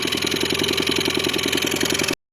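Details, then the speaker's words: New Hidea 15 outboard, 362 cc, during break-in: after running at mid revs, a sharp even tapping of about nine beats a second appears as revs drop and goes away when throttle is added; the cause is unknown. "На обкатке после средних оборотов появился такой звук. При добавлении оборотов пропадает, как сбрасывает. начинает так стучать."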